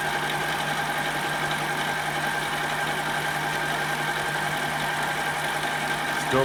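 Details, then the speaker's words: Manual mini metal lathe turning aluminum toward a shoulder: steady ringing hum under a rough scraping cut, heavy chatter; the tool wouldn't tighten down because the tool post is loose, and the long unsupported work adds to it. "there is a lot of chatter in there you can hear it if I had some support out here we'd probably do better but really well you know what my tool wouldn't even tighten down"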